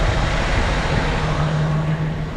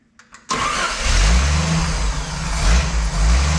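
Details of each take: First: Jeep CJ/YJ 4.2 inline-six after carburetor swap, hot start, idle screws about 2.5 turns out: smooth, even low rumble at steady idle with no stumbling, hunting or misfire; normal idle. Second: Jeep CJ/YJ Wrangler 4.2 inline-six after carb swap, vacuum advance line unplugged, idle mixture screws set 1.5 turns out: starts, then surges and sags unevenly; won't hold a steady idle before base timing check.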